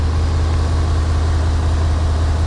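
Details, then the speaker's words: 1991 Yamaha Venture Royale just revived, warming up on choke after first start: low steady idle with even pulse and no stumbles, no smoke from exhaust; normal warm-up idle. "it runs runs good too yeah I'll let it warm up a bit and we'll see if it runs without the choke"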